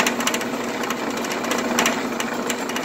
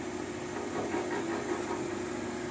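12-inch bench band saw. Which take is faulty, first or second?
first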